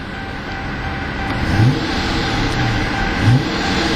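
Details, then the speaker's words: 2012 Dodge Charger R/T, brand-new 5.7 L Hemi V8 rated at 370 hp, free revving outdoors: deep rumble swelling through a couple of revs, clean and even with no knocks or misfires; described as having a refined growl and a nice punch, and it sounds healthy. "like it's kind of a nice little punch to it also much more refined growl to it beautiful sounding Hemi engine"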